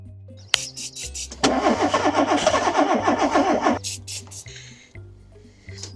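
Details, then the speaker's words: VW Polo 86C breadvan, rough-running, smoky, oil leaking from under the cylinder head, on a different battery: starter churns evenly about four turns a second for a couple of seconds but never catches, with the choke not found; cranks, no start. "Doesn't even want to try it. Where's the fucking choke?"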